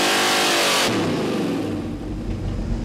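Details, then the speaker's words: Ford 390 FE V8 street engine on dyno, 93-octane pump gas, 30 degrees total timing, full-throttle pull to 6,000 rpm: loud hard-revving scream, crisp with no misses, dropping to lumpy idle; 402 hp, 438 lb-ft, healthy pull. "we might have broke four hundred first bill oh 402 horsepower 438 pound-feet of torque not shabby"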